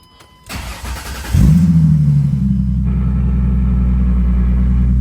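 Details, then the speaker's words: 2005 Ford Mustang V6 after new spark plugs and plug wires, air filter refitted, battery reconnected after alternator work: brief crank, quick catch, smooth even idle settling fast, no misses or ticks; runs pretty good, normal start and idle. "runs still sounds like but sounds like it runs pretty d good"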